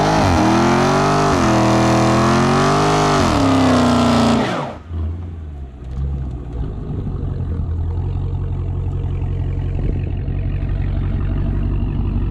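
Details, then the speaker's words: Dodge Challenger Hellcat with mid mufflers deleted, recorded from outside after an exhaust shop fixed a rattle/shake: several smooth revs rise and fall, then steady rumbling idle, no rattle; normal exhaust note after repair. "she did it right got her figs she sounds good no more no more rattling no more shaking yes sir let me go ahead and show you how she sounds from the outside"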